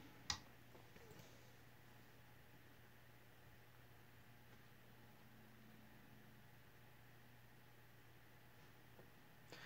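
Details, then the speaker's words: Made-in-Bombay Encon/Crompton Greaves High Breeze 42 in ceiling fan with built-in transformer, on low speed drawing 0.34 A: faint, steady low hum with no scraping or clicking. Normal low-speed running; the faint hum is from the transformer. "Okay, so 0.34. It's not a bad low speed, actually."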